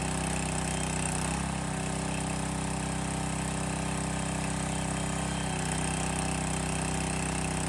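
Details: Landworks 20-ton log splitter's small single-cylinder engine, restarted after topping off the hydraulic reservoir, running fluid through: steady even chug with a brief load change midway; healthy, normal running.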